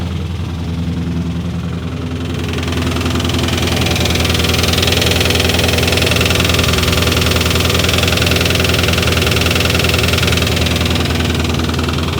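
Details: Chevrolet Corvette V8 just fitted with a full exhaust: rumbling idle that lifts after two seconds with a fast even tick and clanking; owner thinks an exhaust leak, may pull the valve cover; cause unconfirmed.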